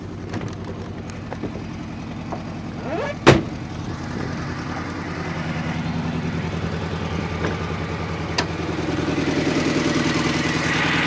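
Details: R53 MINI Cooper S idling lumpy and uneven with a regular stumble: cylinder 1 misfire from zero compression; timing chain slack and broken guide rail found later.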